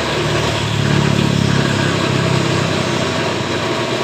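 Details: Honda Beat Esp scooter, owner complains of rough CVT noise, heavy loads and rare servicing, fault code showing: engine revs up and holds with coarse, uneven drone from CVT side instead of smooth whirr; rough CVT, cause not pinned down.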